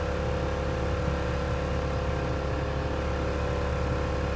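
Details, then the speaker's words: Car after new stiff motor mounts, idling low at about 750 rpm while stopped: steady deep cabin drone. It goes away once moving; the ECU is to be sent out for a tune to fix it. "it's like a drone but when you're stopped it is the worst thing ever"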